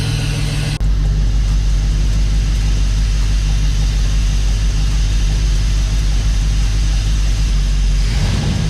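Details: Dodge Dakota R/T with a replacement 5.9L Magnum V8 from a crashed Durango R/T, freshly installed, oil pressure high, temperatures low: deep steady roar holding even revs, no knock or miss; normal revving.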